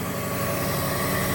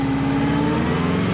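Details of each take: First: 1994 Subaru Legacy Turbo wagon after replacing the header and up-pipe exhaust gaskets: a smooth, steady idle with no ticking or puffing and no exhaust leaks heard, though the up-pipe was later found split. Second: 1994 Subaru Legacy Turbo wagon, new header gaskets, running better, but up pipe split almost in half and blow-off valve bolts left loose. Revs climb and fall with raspy exhaust chuff and hissy edge: exhaust leak plus boost leak.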